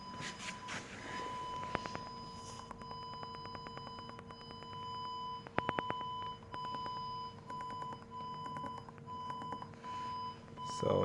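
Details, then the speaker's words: Audi A6 C6, ignition on and reverse engaged in a garage after swapping a faulty front left park assist sensor: short steady pips repeating at a quick even pace as the sensors detect objects. The parking assist is now working normally. "So when partronic system is activated now it's showing the objects in our garage."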